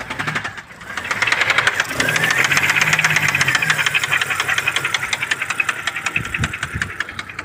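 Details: BMW E90 325xi with N52B25 engine idling: sharp metallic knocking about three per second, loud in upper tones; owner asks whether a spun bearing or oil pump, cause unconfirmed; engine knock.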